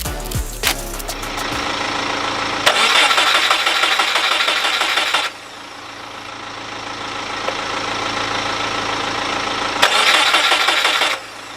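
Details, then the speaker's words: Subaru Impreza after a spark plug change: two bursts of about three seconds of cranking, never firing. The fuel pump can be heard priming; the owner plans a Walbro 255 fuel pump but doubts it is the cause. Cranks but won't start. "Right, so it's changing over the spark plugs hasn't made any difference."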